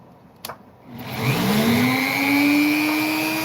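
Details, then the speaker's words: Opal cutting saw running: motor spins up to a smooth, steady whine and holds speed with no rattle or knock; runs healthy. "hear the not rattling that's going on there. Amazing."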